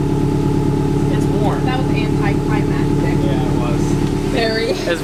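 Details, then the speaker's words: Subaru WRX idling after an Invidia exhaust install with new gaskets at two joints: even, steady flat-four burble with no ticking or puffing from the joints; gaskets checked, no exhaust leaks. "so after checking all the gasket there were no leaks"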